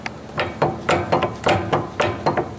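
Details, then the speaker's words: 2011 Ford F250 4x4, clicking while driving in 4x4: sharp uneven metal clacks as the front driveshaft to transfer case is rocked by hand; front universal joint badly worn; new hubs were not the problem. "those universal joints appear to be out okay but the one that is the problem happens to be like say the front that's clicking it's very bad"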